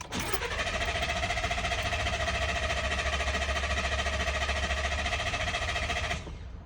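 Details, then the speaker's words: 2020 Ford F-150 3.5L EcoBoost right after an oil change, using the built-in crank no-start feature (ignition on, brake pressed, accelerator floored): steady, even cranking for about six seconds without firing, priming oil normally. "It's a uh crank no start feature that they have built in. All you need to do is have your keying the ignition, turn it to the on position, foot on the brake, accelerator to the floor, and go ahead and crank the engine."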